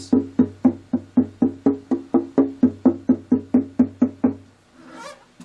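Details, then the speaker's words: Dreadnought acoustic guitar preventive-maintenance tap test, tapping the back from the top to find loose or broken braces: crisp, even wooden knocks about twice a second, ringing clean without buzz or rattle; no braces loose. "this sounds really good to me. There's none loose. Very good. No braces loose. I like that."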